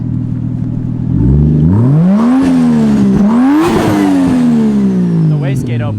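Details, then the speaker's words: Supra on about eight pounds of boost, revved to the limiter at standstill: engine revs sharply and falls back, then a brief fluttery hiss as revs drop as the external wastegate opens and vents boost. "give her another one hit the limiter you hear that wastegate opening yeah it does open not too bad i think it's only on like eight pounds right now"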